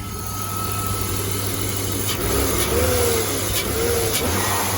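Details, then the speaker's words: BMW E34 M50 six-cylinder donor engine for an E30 swap revving on quick throttle blips, smooth and even, no metallic pinging; the earlier fuel ping was a stuck injector, now running on all six. "yep no more fuel ping you can see right there that's a quick quick acceleration no more noise none at all"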